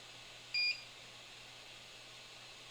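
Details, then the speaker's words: 3D printer paused during a first two-colour print without ejecting the filament: a single short high beep over quiet fan hiss, prompting to insert filament and press the button. "Yeah, mine actually did not eject the filament. So, because it's you can hear it beeping. It's prompting me."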